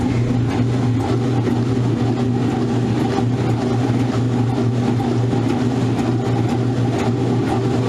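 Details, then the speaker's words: Modern Roper washer on spin with an unbalanced load; steady heavy hum with faint uneven thumps as the machine strains and struggles against the imbalance. "Here you go. It already sounds like it's struggling. You ready for this? It's going to kick itself off balance."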